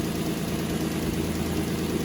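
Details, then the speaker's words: 2003 Nissan Altima 3.5 idling after alternator replacement (old one had noisy bearings): smooth even idle with a low steady hum, no whine, squeal or knock; charging 14.3 volts, no dash warning light. "Yeah, 14.3. So that tells me the alternator is charging now. And there's no light in the dash."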